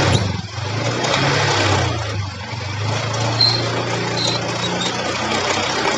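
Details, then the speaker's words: Honda Beat scooter held on the rear brake and revved under load: rough rattling tick over the drone from a worn, wobbling pulley shaft; quiet at idle without load. "Hai semua dia punya masalah kalau posisi langsam seperti ini enggak kedengeran Jadi maksudnya nggak kedengeran itu halus ya bunyinya tapi ketika ada beban"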